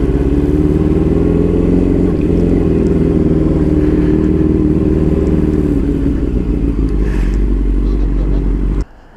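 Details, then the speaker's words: Yamaha R6 5SL before ignition coil replacement, struggling to pull away with no codes or warning lights: idle chugs with irregular, uneven beats instead of its usual hunt; rough idle misfire, cause suspected, not confirmed. "You know, like when it was idling, it was like hunting usually, like it's supposed to. It's not even doing that."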